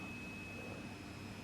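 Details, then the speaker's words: Midland 3001 CB radio on receive: thin, steady high-pitched whine over quiet hiss that stops when keyed up; found to come from the current-limiting bench power supply. "There is a very high pitched whine coming from this."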